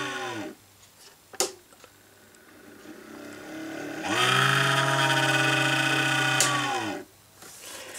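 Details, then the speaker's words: Small fan in an old German-made mini dehumidifier spins up to a steady whirring hum with a faint rough edge, then winds down; suspected dodgy, dry bearing, likely clogged with hair, fluff and dust, to be cleaned and oiled. "that's just a dodgy bearing in that fan I think so I'm gonna give it an oiler"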